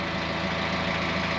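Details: Kubota tractor diesel with weak battery, boost-started after failing to turn over: steady, even idle clatter with constant low drone, no misses or surging, running fine once boosted.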